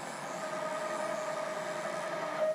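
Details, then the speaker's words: Haas VF-3 CNC retrofitted with Chinese servo drives, Y axis jogged by handwheel: steady high hum or whine while moving, which could be mistaken for the ball screws; servo whine from excessive gain. "You hear that humming, that whining or whatever? So, you could blame that to the to the ball screws."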